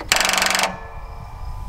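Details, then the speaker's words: Toro TimeCutter SS5000 zero-turn mower, parked over winter, on a boost pack with the key on: about half a second of rapid machine-gun chattering from the starter solenoid and no crank. Bad solenoid or low voltage suspected; the starter was faulty and repaired. "pretty sure what you're hearing right there is this starter solenoid chattering yeah definitely can feel it so more than likely we've either got a bad solenoid now low voltage can cause that too"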